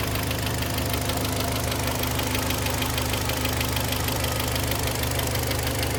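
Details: Kia Sportage 3, 122,000 km, cold engine before service (oil change, throttle and injector flush): dull metallic tapping over the idle hum, steady with engine speed, source not pinned down; knock later gone after oil change, timing chain replacement planned; engine knock on cold start.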